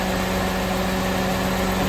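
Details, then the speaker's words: Engine idling with the EGR valve commanded open through its control, cooling fans stuck on: a low idle that sags and runs roughly under a loud fan rush. The rough idle is caused by exhaust gas recirculation. "can hear the idle's decreasing. Unfortunately, the fans are stuck on. But the voltage [Music] here and the position center also increases. It's idling way down. It's not very happy."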